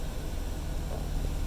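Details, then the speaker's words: Chevy Silverado 2500HD just started after replacing the oil pressure sensor switch that read zero pressure; smooth, steady low idle rumble with no knocks or ticks, oil pressure now up; normal idle. "you can see now our oil pressure is up, so we're good."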